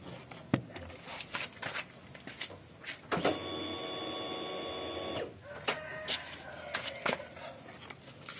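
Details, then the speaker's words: Suzuki APV (G15 engine) stalled with suspected broken timing belt: camera held on the fuel tank picks up a steady heavy electric hum of about two seconds amid handling clicks, showing the fuel pump still priming and working normally. "Masih terdengar suara full pump bekerja maksimal yo, karena masih dengung yo, dengung berat kan?"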